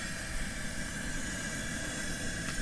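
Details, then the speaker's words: Coleman 414 Powerhouse dual-fuel stove, stored two years with a quarter tank of fuel, after priming: a steady, even roaring hiss with no sputter or surging while it warms up. The burner is running normally. "there just something about an old Coleman listening to him hiss away warm up a little"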